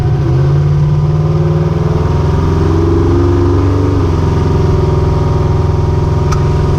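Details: Ricky's 750 blow-through carburetor on a V8, with a 6.5 power valve, no pump shot, under test: a deep, steady burble holding even speed with no stumble or misfire; best it has run so far, normal running.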